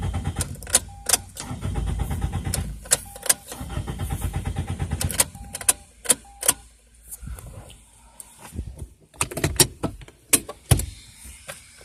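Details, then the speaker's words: 2002 Toyota Corolla LE, 173,491 miles, previously running fine earlier; several separate bursts of starter cranking with clicks between, tried in neutral, not a single firing stroke; crank no start. "yeah that's not really starting at all wipers work though"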